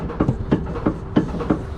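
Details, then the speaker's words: Dodge ProMaster van with a clunk over bumps, rocked by an assistant: sharp, hollow knocks about three a second from excess play in the sway bar end link's ball joint. Gripping the link quiets it; the fix is replacing the link. "so that knock right there if you can just barely see it's coming from the play that's in that sway bar end link"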